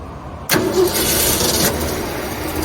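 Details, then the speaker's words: Ford Galaxie V8, first start after long sitting with cleaned ignition points and remote starter button: short crank, catches and settles into steady even rumble; normal start. "still going though so that's about how long it takes to get an engine running in the real world and it really doesn't sound too bad now"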